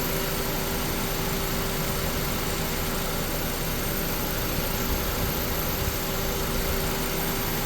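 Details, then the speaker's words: 2001 Honda Civic petrol engine idling smooth and even with no surging after the stuck idle air control valve was cleaned with brake cleaner and refitted; running like normal. "got her back together it's running like normal that's all it was that thing was stuck"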